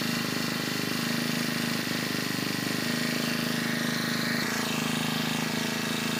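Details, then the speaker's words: New Honda GX25 four-stroke brush cutter engine, revved up from idle: fast busy buzz with an occasional brief sag in revs before recovering; cause unknown, fuel quality not checked. "ฟังเสียงเวลาผมเร่งเครื่องดูดีๆนะครับทุกท่านเครื่องยนต์นะครับจะมีอาการวูบเป็นบางครั้งนะครับ"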